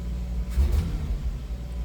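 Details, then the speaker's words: 1989 Jeep YJ with Weber carb, choke now working, idle slightly high. Steady idle, then a throttle stab that swells softly and sags instead of snapping up. Tip-in hesitation, tries to backfire; owner suspects timing, a vacuum leak or still running rich. "but I don't know if I can get it to replicate the problem or not, but if you go from just straight idle to kind of punching it, it hesitates."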